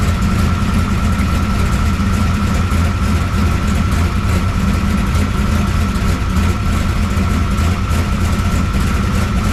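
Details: 1969 pro street Camaro V8 with freshly rebuilt Holley carburetor, after ignition timing check: deep, even idle burble with steady firing beat, no knocks or misses; idling cleanly.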